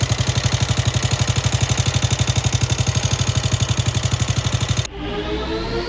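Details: FT150 motorcycle single-cylinder engine idling: steady sharp top-end tick resembling valve noise but more serious; owner suspects lower rocker arms or, in an extreme case, camshaft.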